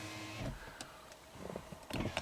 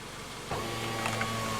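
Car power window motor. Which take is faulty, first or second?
first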